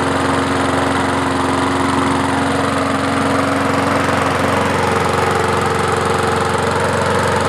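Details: Murray 20-inch mower with 4.75 HP Briggs & Stratton, just restarted after clearing hydrolock from overfilled oil: steady, even running with no misses or knocks while burning off leftover oil.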